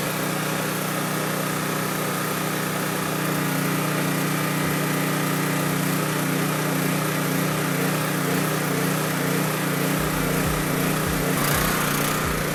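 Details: Honda EB3500 generator at about 60–62 Hz, engine just above 3600 rpm (about 3650–3660) unloaded, dropping to about 60 Hz under load: steady, high-pitched drone, no hunting or surging; governor working, runs fine.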